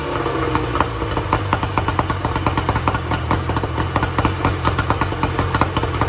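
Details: 1994 Tohatsu M40C two-stroke outboard after water pump replacement, unseizing the seized motor and freeing the locked lower unit, run with water on: rapid, even crackle over a low steady drone, no misfires or knocks; running cleanly.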